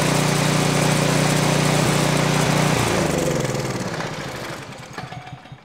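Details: Craftsman 536.881651 snow blower, Briggs & Stratton 12A113 type 0350-E1 built 2005, heavily primed and on choke: lumpy, hunting chug that then dies away. Rough running.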